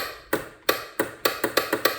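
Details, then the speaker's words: 2003 Polaris Trailblazer 400 ATV, starts on pull cord but not electric start, battery voltage good; sharp irregular solenoid clicks, about three per second near the end, with no cranking; failed starter motor. "you can hear the solenoid doing something but starter's not doing anything I've checked battery voltage and it's in good shape"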